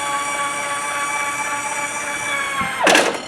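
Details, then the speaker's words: Harmar AL500 power wheelchair vehicle lift, powered from the car battery via harness, raising without the car running: steady electric motor whine, then a short louder burst as the platform reaches top travel, which is normal operation. "when you hear that noise that's you're at the top"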